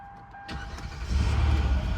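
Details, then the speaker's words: Kia Sorento after starter replacement (previously only ticking): brief crank, engine catches within half a second and settles into a steady, even run; starter engages and starts cleanly. "What does that sound like? Car started."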